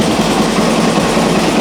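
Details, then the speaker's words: Suzuki DRZ400E single-cylinder just fitted with a Lectron Billetron Pro carb, started cold without choke: steady but slightly slow, lazy idle; owner will warm it up before raising idle. "I think I might need to turn that idle up a little bit sounds a little slow but let it warm up first to be sure"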